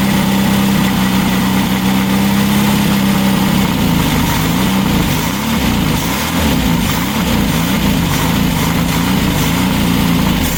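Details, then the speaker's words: Freshly built VW Baja Bug flat-four on the stand, break-in oil with zinc additive, Super Dome distributor: steady even idle with smooth low hum, no knocks or misses; running cleanly. "but we did get it running on the stand and then I went ahead and threw it on that night"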